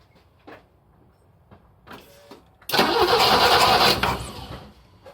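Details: BMW E28 518i after refitting the fuel injection, airflow meter and throttle boot: short burst of steady starter cranking that never catches or fires, no spark seen; cranks but won't start.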